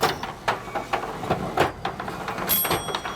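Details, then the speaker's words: Richman Corp Set-Shot Basketball vintage two-player arcade game, repaired after its glass was smashed, running during play: busy stepper clicks and thumps in irregular score-counting bursts over the high-speed spinner whir, with no grinding or binding. Normal operation. "all this machine does mechanically is Count scores and spin the balls there's a spinner in the middle you see it that's turning at a high speed"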